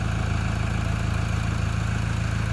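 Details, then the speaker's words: 2006 Toyota Prado 120 diesel, just under 200,000 km, which the client thinks is noisier than normal. Steady, even diesel clatter at low idle while warming up; sounds healthy. "so slowly it's warming up we're just going to monitor this"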